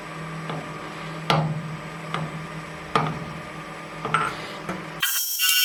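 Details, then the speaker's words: Boring a replacement hydraulic cylinder part on a lathe for a mini-digger: a scrape catching about once a second, uneven from pass to pass, because the bore isn't completely round inside. "So it isn't completely round inside there. You can hear that from the, well, so I would say manufacturing noise."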